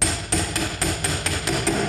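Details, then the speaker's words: SIP BFA 306 engine for a Vespa Largeframe, mainshaft driven into its case bearing with a tool pushing on the shaft: even hammer blows about four per second turn duller and more solid as the shaft bottoms, fully seated. "Sound has changed, so better stop whacking. That means the shaft sits properly in its bearing, perfectly positioned in the cases."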